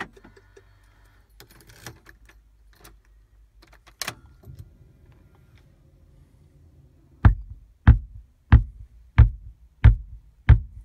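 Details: VW Tiguan RNS510 radio/nav stuck in a startup loop with a flashing screen: six deep, even speaker pops about every two-thirds of a second as it reboots; the PIC16 chip needs resoldering.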